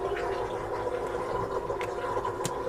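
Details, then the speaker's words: Jabsco automatic bilge pump on the boat Talisman keeps running, a steady motor drone with watery gurgles, even with its switch off; only the breaker stops it. Owner doubts the pump itself and suspects the wiring. "Even when it's on the off, it's still running. The only way to turn it off is to turn the breaker."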